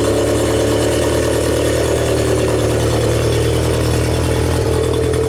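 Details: 1992 Genie boom lift engine that had a start-run-stall problem on platform control, now run after rewiring (wire 29 replugged, undiode'd wire 16 light disconnected): steady, even idle with a low constant drone and no misses, staying running on platform control.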